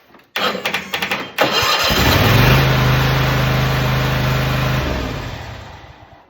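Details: Toro SS 5000 zero-turn mower after replacing factory starter solenoid with aftermarket 4-pole 12 V unit, battery somewhat low: starter cranks in a few quick bursts, then engine catches and runs steadily; fix worked.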